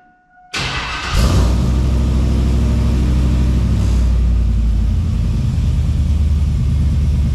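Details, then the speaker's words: NBS GMC Sierra V8 first start after fitting Speed Engineering 3-inch single catback exhaust, in the shop with echo; cranks, catches instantly and settles into a deep, steady, throaty idle, definitely louder: healthy. "okay it's kind of throaty sounding definitely louder"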